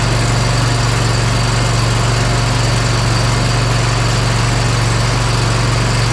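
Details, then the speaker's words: Bad Boy Maverick zero-turn mower, Kohler Confidant V-twin, after replacing the ignition coil on the cylinder that was losing spark. Smooth, even idle with no skips, both cylinders firing, run for about 40 seconds: normal idle. "yeah that sounded really good I'm thinking that that was our issue so it would run on two cylinders for maybe probably 30 seconds or so at the most and I just ran it for probably 40 seconds or so"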